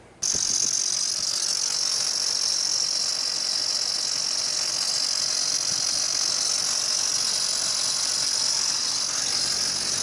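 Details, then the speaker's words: 2003 Duramax rollback, first start after fitting new belt-driven hydraulic pump, no load: loud steady high-pitched squeal over idle; belt not slipping, owner dislikes noise, cause unconfirmed. "everything looks good lined up and straight but I don't like that I don't like that noise definitely don't like the noise but hopefully that's the problem"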